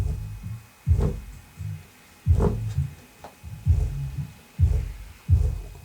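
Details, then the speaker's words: Home subwoofer after gluing its split paper cone edge, which had knocked on bass hits: deep bass thumps play clean and full with no buzzing or flapping between beats; normal subwoofer playback. "all right music's going let's turn it up sounds good so far"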